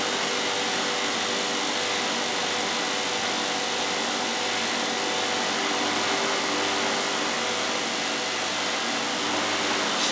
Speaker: oh yes just pick to speed up quickly oh fantastic oh yes 3,100 RPM listen to that